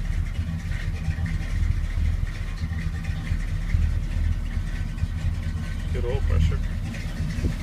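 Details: 1981 Chevy K10 V8 with Quadrajet carb, after installing a heat dissipator against fuel boiling and a new throttle cable to fix binding, started with an empty fuel bowl: steady, even low rumble with no stumble, hunting or misfire; idles smoothly and sounds healthy.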